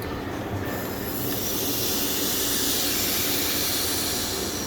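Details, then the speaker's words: Boost leak test on a turbo car, engine off, with the charge pipe sealed by a ziplock bag and ziptie and pressurized by an air compressor: steady loud rushing hiss holding level throughout; a serious leak low down in the charge system. "Pretty serious leak down here. And honestly, you can see the pressure building up."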